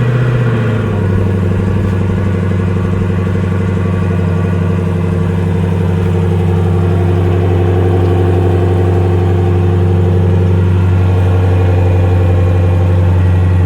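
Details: 2020 Dodge Durango RT, first start after a DIY install of a 2018 Corsa exhaust with adjustable tips: engine catches quickly, then settles into a deep, steady, even rumble with no misses or ticks; healthy idle.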